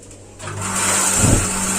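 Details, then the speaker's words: Gas water heater fed by LPG after fitting a new cylinder, regulator ball valve reset by inverting/tapping; soft click then whoosh into a steady roar, burner lights at once and stays lit, normal ignition. "langsung berhasil jadi seperti itu teman-teman cara apa praktis untuk mengatasi baterai gas yang tidak menyala sehabis mengganti tabung gas yang baru"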